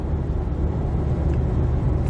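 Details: 2007 Jeep Compass out of storage, previously humming, road test at about 60 mph in strong wind: steady low road rumble at cruise, no hum or growl rising with speed; cabin quiet, bearings sound healthy.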